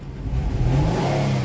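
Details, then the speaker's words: 2009 Nissan Maxima 3.5 V6 with no codes: a snap throttle at low rpm makes it stumble and misfire, then it clears up when revved to around 3,000 rpm; an arcing ignition condition is suspected. "Snap throttle, misfire, rev it up around 3,000, clear up."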